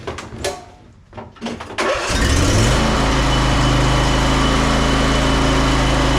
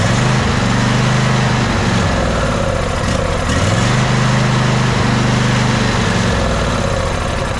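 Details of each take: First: Ariens 20 hp riding mower, Briggs & Stratton V-twin, after repair of a no-start with no click or power: a few cranking turns, then it fires and settles into a steady, even idle with no misses or knocks; back to normal running. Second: Ariens 20 hp riding mower, sat unknown time: starter churns steadily eight seconds without catching after starting fluid burnt off; crank no start, suspected no fuel or gummed carburetor.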